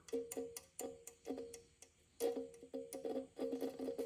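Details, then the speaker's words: Rusty 1950s–60s Ford horn, bench-tested with ground connected before soaking in a rust bath: short uneven bursts of weak buzzing and clicking with no proper blast; horn tries but won't sound. "You can hear it trying. Okay. So we'll put this one in the bath and we'll see what happens."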